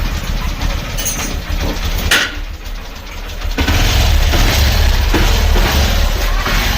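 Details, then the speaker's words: Honda Livo motorcycle after clutch plate replacement; it previously would not start on one kick: now starts on one kick, single-cylinder thump runs steady and picks up cleanly when revved, no slipping or clatter. Engine and clutch sound healthy. "ये गाड़ी जो है देखिए एक kick में गाड़ी जो है स्टार्ट हो चुकी है।"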